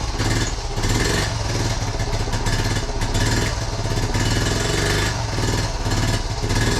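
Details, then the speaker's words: 1976 Honda Z50J1 Monkey, started cold after two weeks unused and still on half choke. Uneven small-single pulses that surge and sag as if it wants to die, with pops, splutters and backfiring through the carb. Owner suspects a fuel-related problem; it runs rough. "It pops and splutters a bit and it backfires through the carb."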